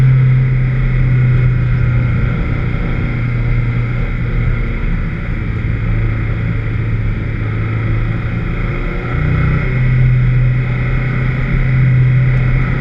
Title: VX220 with Misfire at 3 Sisters Circuit